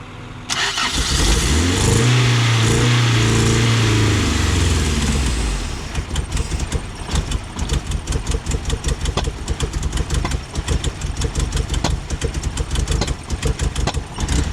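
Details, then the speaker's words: Toyota AE86 Levin after new Carter fuel pump, few gallons of fuel: cranks and catches roughly, sharp irregular pops about three a second; backfiring like crazy, cause unclear, fuel filter change considered. "it's not sounding right i'm gonna try one time up no it's all right it's like backfiring like crazy"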